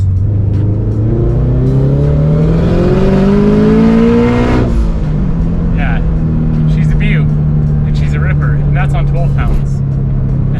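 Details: Boosted Toyota GT86 on a full tank at wide-open throttle (thought to run lean below a quarter tank): engine note climbs smoothly and cleanly through the revs, then drops on the shift; no stumble or misfire, pulling healthy.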